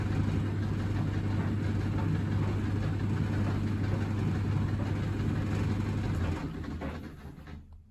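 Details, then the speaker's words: Samsung Optimal Dry 8kg heat pump tumble dryer DV80M50133W, bought broken and cleaned, with laundry in: steady low hum of drum turning evenly, winds down and stops before reversing; normal running. "It stops, then it rotates the other way, hopefully."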